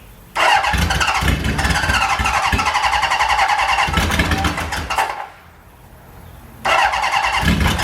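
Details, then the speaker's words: 1977 Honda Hondamatic barn-find motorcycle, long unstarted, choke on, fuel flowing: two long bursts of quick rattly starter cranking with a pause, engine never catching; cranks but won't start. "She's trying. She really is trying. Oh, she's so close, so close."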